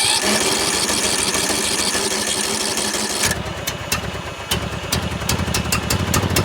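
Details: John Deere L100 mower after valve adjustment, starter suspected weak: small single-cylinder catches and runs lumpy with uneven popping instead of a smooth idle; rough running, owner suspects bad old fuel from the smoke.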